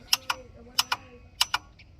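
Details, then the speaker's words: 1988 Ford F350 7.3 IDI diesel, new engine, unstarted about a year, no-start: while cycling glow plugs, sharp paired clicks repeat about every two-thirds of a second continually; owner unsure if normal, cause unconfirmed. "and it's doing this continually. I don't know what that means."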